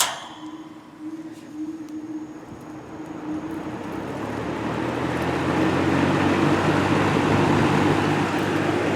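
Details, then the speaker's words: Vintage 1950s Monarch-Aire box fan, starting up on high speed: it spins up from quiet to a steady, full whooshing roar with an even blade hum. Smooth, powerful running. "Yeah, it is pretty powerful, as you can see."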